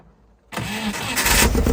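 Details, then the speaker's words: 80s Nova kit supercar, first proper run after 25–30 years, thermostat removed so coolant circulates: catches straight away and settles into a level, full-bodied idle with a brief blip. The engine sounds healthy. "It's sounding level, and the engine seems to sound pretty good, especially since 2 days ago"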